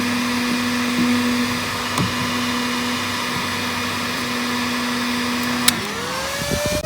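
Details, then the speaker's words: Stock RV refrigerator cooling fan, triggered with a heat gun. A loud, steady fan drone with a fixed hum, then the pitch sweeps as the fan speed changes; the fan is too noisy. "that's what this pound sounds like it is and I can lift it up it does get quieter but it's still really loud and when you're sitting out of the campsite and this comes on it's somewhat annoying"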